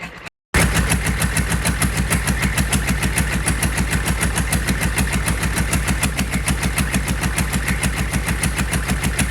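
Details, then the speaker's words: GEP/Navistar 6.5 diesel with Stanadyne DB2831-4911 injection pump, run on a stand, hot restart without glow plugs after a quick pump of the trigger: fires instantly, settles into an even, steady diesel clatter at about 200 pulses a minute; normal hot start and idle. "It'll start. I don't even need glow plugs. Quick pump of the trigger and it starts right up."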